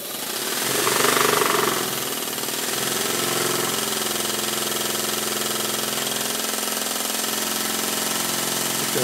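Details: Stuart 7A vertical steam engine, modified and retimed (valve recentred both sides, was slightly off/too low), steamed on the bench from a vintage Stuart 504 boiler blowing off just over 60: brisk, even chuffing over steady steam hiss, no stumbles; runs well.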